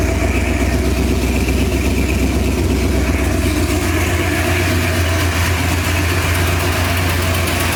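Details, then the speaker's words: 1968 Ford Torino V8 on its first run after revival: a loose idle with a light tick about four a second. The header is leaking exhaust at a loose bolt that needs tightening, and there is also a suspected carburetor problem. "Anyway, it sounds pretty good. I got one exhaust leak over there on the header I got to fix."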